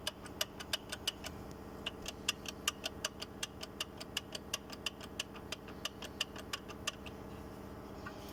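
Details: Audi A4 B6: sharp, light ticks repeat about four times a second over a quiet engine note; a knock the owner first thought was suspension, cause unclear.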